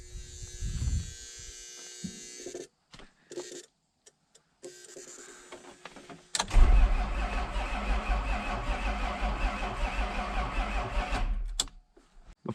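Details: 1994 Isuzu cab-over diesel truck, sat 3 years, fuel line split so owner suspects air in fuel; bleeding injectors, one dry: starter cranks steadily about five seconds with no firing, cranks but no start.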